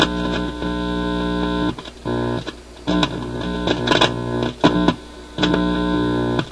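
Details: Admiral suitcase record player with a new replacement stereo cartridge just installed: guitar music plays over a constant low hum that stays steady between notes; the new cartridge appears faulty.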